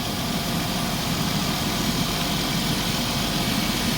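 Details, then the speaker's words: Chrysler Town and Country at first start after head gasket replacement, coolant being added: steady idle with a faint hiss over the engine hum from a vacuum leak at a kinked hose; idle changed, and the kink is to be fixed. "You can hear like a little vacuum leak going on."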